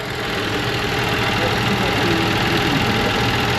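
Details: 1970 Chevy C10 that runs rough: a loose, uneven idle with a wobbling beat of about four pulses a second that never settles; cause unclear. Rough idle.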